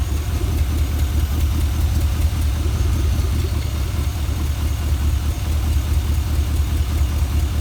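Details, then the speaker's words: Junkyard 5.3 LS V8 for a 1955 Buick Special, first run with mufflers fitted and fuel pump hooked up: deep, even idle burble with steady low pulse, no knocks or misses; runs good, oil pressure good. "so this is what it sounds like now with a some mufflers on it and hook up the fuel pump all right we got fuel fired off"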